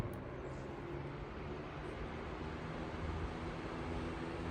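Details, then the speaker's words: 1942 Emerson 77646 (possibly AL) vintage desk fan on high speed, which shakes a little. A quiet, steady low hum and airy rush with no rattles, ticks or scraping; runs smoothly. Normal running. "Better than that, it runs really nice too. Very quiet. Medium speed. And we have high speed."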